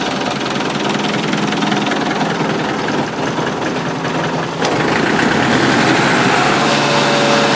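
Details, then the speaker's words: Mechanical diesel started via remote starter switch after replacing a bad chassis ground that was dropping six volts: fires and settles into a steady, even clattering idle, no faltering. "locomotive love it"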